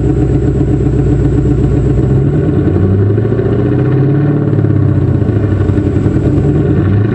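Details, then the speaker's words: 1995 Ford Thunderbird LX that suddenly lost power while driving, with some cylinders not firing and a nearly dead battery; running with the hood open. Loud, uneven, stumbling beat with no steady rhythm; misfire from water in the spark plug wells. "yeah it ain't sounding great i hope you got another battery fishing just about dead right"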